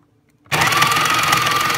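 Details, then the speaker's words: Breville Smart Grinder Pro, beans loaded, after a rock got into the burrs: harsh, rapid rattling grind with a thin whine as the motor runs, sounding like this ever since. Knocking grinding noise; cause suspected, not confirmed. "happens it's fixed so that's what happens not out of beans just starts making that sound okay thank you"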